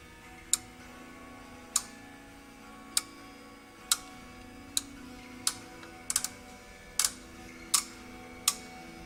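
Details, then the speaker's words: OsaiRing I/O module relay output test, pin 1 pulled to ground to energize the coil: crisp single clicks about once a second as each relay pulls in, outputs switching properly. "Hear that relay clicking? That relay's energizing when I pull pin 1 to ground."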